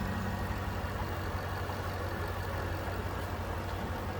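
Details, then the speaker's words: 2006 Cadillac XLR-V, 4.4 L supercharged V8 (443 hp), very clean engine bay, no warning lights: steady, even low idle rumble with no knocks, ticks or misses; sounds healthy, nothing wrong underneath. "Sounds good, looks good underneath there."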